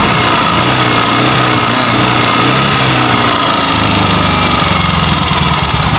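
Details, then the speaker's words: Yamaha Mio M3 125 with stalling and unstable idle, TPS opening 27 versus 14–20 standard: loud busy idle with light quick ticking like piston slap (or one-way clutch), plus white smoke; mechanic suspects piston slap causing low compression, unconfirmed. "Oke motornya ini yang pertama adalah asap putih ya Nasa putih yang kedua ada suara netek seperti piston ngeplek ya"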